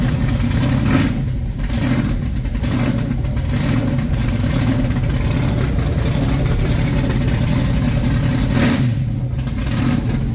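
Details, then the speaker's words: Blown big-block Chevy refitted, timing set, oil pump primed with a drill, run briefly without coolant: strong even rumble climbing cleanly when revved and settling smoothly, no knocks or ticks; normal running. "it's running really good and I got the timing bang on"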